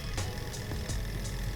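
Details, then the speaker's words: Model Stirling engine from Amazon after repair, including fixing a bad solder joint and a kick start: light even ticking about three times a second over low steady hum, quiet, no shaking or racing; normal running. "it's also quiet it's not you know running away it's not you know jiggling everywhere and doing all this other crap this ain't too bad"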